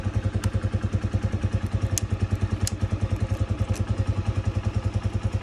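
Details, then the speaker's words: Spark 150 single-cylinder motorcycle keeps running after the ignition is switched off, steady thumping at about 200 beats a minute; cause is a broken black-white ignition kill wire from the ignition switch. "включаємо зажигание заводимоцика мотоцикл працює виключаєм зажигание і мотоцикл в нас не глохне вообще нічого не"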